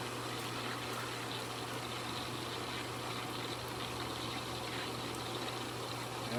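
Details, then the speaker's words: Hayward sand filter pool pump after replacing leaking backwash valve O-ring and gasket: steady low motor hum under even rush of water, no surging or rattling; normal running, no leaks after repair. "we do not. Everything is good. The filter is working. No leaks."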